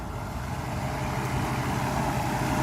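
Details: Mercedes S600 W140, first start after a throttle body overhaul; the fuel pressure regulator diaphragm leaks fuel into the intake manifold and is to be replaced, yet the engine runs pretty well, a steady even drone with no misses or hunting; normal running.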